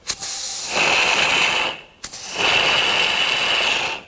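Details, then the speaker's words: Porsche 911 Turbo 997.2 intake boost leak test: as test pressure rises, two sharp swelling hisses come from a blow-off valve leaking open under pressure when it should hold; it is then removed for inspection. "opening it shouldn't do that so i'm going to unscrew this"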